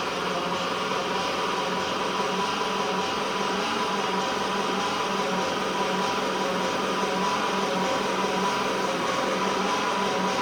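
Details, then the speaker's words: 1970 Triumph TR6 cranking with a second, replacement starter fitted after the first would not turn: thin, laboured whirring, faint uneven rhythm, no firing; starter too weak to spin the engine properly. "God that's not very strong [Laughter] either holy moly do we need another stter"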